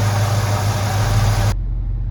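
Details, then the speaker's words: 1968 Ford LTD Brougham 390-2V at idle, choke fully open, after a Motorcraft/Autolite 2100 carburetor rebuild (corroded accelerator pump and power valve), Flowmaster exhausts: steady, even V8 burble with no misses, a big improvement over before. "Idles smoothly. Hear that idle? Sounds wonderful. Running really good. Way better."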